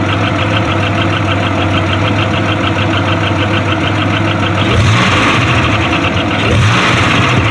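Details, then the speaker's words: Grand Am with 3800 supercharged swap, just had an oil change and transmission fluid top-off, known exhaust leaks. New fast light ticking over a rough idle, about three per second, following engine speed. Owner unsure: lifter, loose rocker or feared rod knock. "maybe a lifter man i hope that's not a rod knock maybe a loose rocker i don't know guys comment and tell me what you think this might be"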